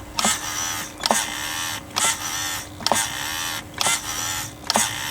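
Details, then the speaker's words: HPI Savage nitro RC monster truck with original 2003 HPI steering servo and a fully charged new battery: labored, straining whirring bursts about every second as it sweeps back and forth. Worn steering servo, replaced. "Alright, so this is with the original HPI servo that come with this in 2003 when it was brand new, with a brand new fully charged up battery. It really struggles there."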